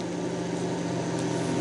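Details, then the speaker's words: Chinese non-serviceable room cooler fan that spun slowly and wouldn't speed up after about six weeks unused, after oiling its ball bearing with a needle: steady even hum, no squeal or rattle; fan running normally, noise gone. "подшипник все заработал еще маленько смажем вентилятор реанимировал"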